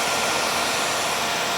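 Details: KTM dual sport motorcycle, newly installed switch-operated 2-wire 120mm PC case fan pulling air through the radiator, heard from the other side. A steady, even airy rush with no ticking, rubbing or wobble: normal cooling fan operation.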